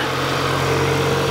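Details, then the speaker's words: 2022 Kia Sorento engine, after misfire repair (plugs, coils, wiring, injectors checked): smooth, steady idle with even hum, no stumbles or skips; no misfires in data; normal idle after repair. "definitely running better take a little little bit for it to um to straighten out there"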